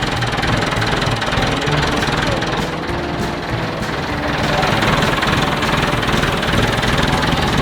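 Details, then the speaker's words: Massey Ferguson backhoe, year unknown (probably 1970s), hotwired by jumping across the positive wire: fires and settles into steady, even diesel clatter with no misses or stumbles; runs normally and has fuel. "Oh, there it is. Oh. Found it. All right, she runs. She's got fuel."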